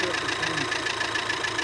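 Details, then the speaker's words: Volkswagen at idle with a light, quick metallic tick that eases as the engine settles; the owner says the engine was previously quiet. Hydraulic valve lifters are suspected, not confirmed. "Ну давайте выводы не будем делать это кто не двигательный это похоже на компенсаторный выводы преждевременные Пока так анализ"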